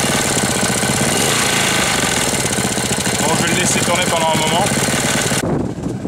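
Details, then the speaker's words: 1998 Briggs & Stratton Intek Edge 60 (6 hp) single after oil change and leak repair, throttle at zero yet running fast: fast, uneven clattering knock, sounds like it will seize despite oil at level; then stalls; cause unknown. "Bizarre le bruit qu'il fait. On dirait qu'il va serrer. Pourtant, il y a de l'huile hein dedans au niveau."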